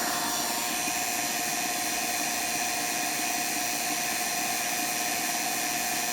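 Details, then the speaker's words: Vacuum pump evacuating a 12k BTU Senville mini split line set in an RV, Schrader valve removed for stronger vacuum, micron gauge dropping: constant steady high-pitched whir, no rattles or surging; normal pump run. "So I'm gonna go ahead and fire it up. So you can see my vacuum level dropping for the moisture level."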